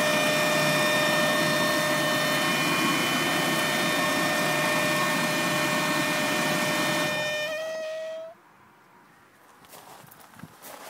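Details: Mk1 VW Golf Cabriolet Clipper with engine running: steady high whine with ringing overtones, seemingly from the rear of the engine bay, stopping when the engine shuts off; source unidentified.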